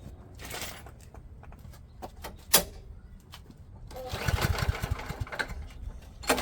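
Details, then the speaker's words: Craftsman lawn mower flathead engine after tune-up, warped carb fixed with a second gasket so it primes; quiet clicks then catches into steady even chug, runs great though it still needs a valve job. "So, it runs great but unfortunately it needs a valve job."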